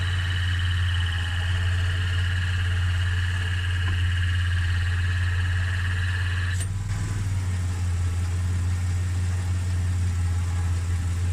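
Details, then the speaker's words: AU Ford Falcon at idle, AC recharged with HyChill after adding compressor oil, gauge reading 25-27.5, not yet cold enough: compressor whine cuts out after about seven seconds; clutch cycling on and off far too often, probably low gas charge. "you can tell by the way it's cycling on and off it's happening too much it should stay on for a lot longer than that"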